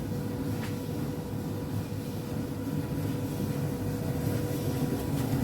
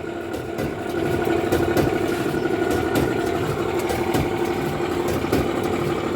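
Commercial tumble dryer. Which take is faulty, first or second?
second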